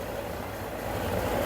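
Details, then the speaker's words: Samsung 2023 heat pump dryer after repair of the thumping noise, blower checked running: even, steady whir with no thumping or rubbing. The blower now works fine and the machine makes no abnormal noise. "You can see here the blower is working fine, no any problem."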